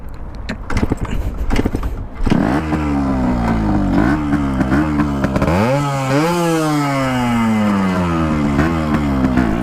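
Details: Yamaha RX two-stroke, first start after ground-up restoration (piston pin not yet replaced): after handling noise it catches and revs crisply up and down with a buzzy, even note; running clean.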